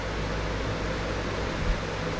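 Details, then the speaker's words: Closed-case mining rig, BTC-S37 motherboard with six RTX 3060 Ti, fans at low speed, about 65 dB; soft even airflow hiss, power supply loudest; normal quiet fan noise, temperatures barely rising. "voilà donc pour moi en termes de bruit avec le système de ventilation c'est ça va c'est un souffle vraiment léger"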